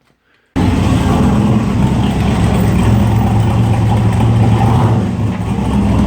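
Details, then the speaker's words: 1967 Corvette coupe with freshly rebuilt 502 big-block (about 500-507 hp on dyno, tame idle), first drive out of the garage: deep, even rumble picking up smoothly as it pulls away, no knock or tick; healthy running. "500 horse good streetable horsepower - it has on the dyno it had a very tame idle and it's I'm excited I'm anxious to get it back in the car and and see what it'll do"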